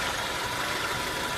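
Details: 1999 Acura Integra LS, B18B1 engine, 140,000 miles, code P0303 cylinder 3 misfire; rough, uneven, slightly lumpy idle as a cylinder drops out, caused by a faulty spark plug wire.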